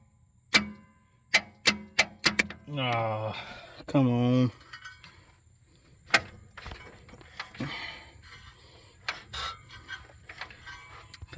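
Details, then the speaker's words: 1963 Chevy II inline-six, long parked, jumped at the starter because of a faulty ignition switch: sharp single clicks about half a second apart, then a brief whir with no crank. Owner thinks the starter is sticking and may need replacing. "the starter's getting stuck may have to grab a new starter for this time"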